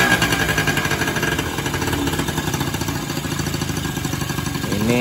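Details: Sanex 50cc Yamaha-based two-stroke motorcycle after engine rebuild: failed crankshaft bearings and crank seals replaced, con rod from a generator part; air screw not yet adjusted and side oil pump not connected. Fast, even ring-ding pulses at steady idle, no knocking or grinding; normal idle.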